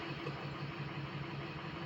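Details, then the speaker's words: Diesel project truck, warm idle after all 8 glow plugs replaced: uneven, stumbling beat with one cylinder dropping out; trouble building speed, code check shows cylinder 3 misfire, injector suspected, buzz test planned. "It seems like there's more than one cylinder missing because before this thing wouldn't have trouble building speed like the and now it is. It feels like there's more than one."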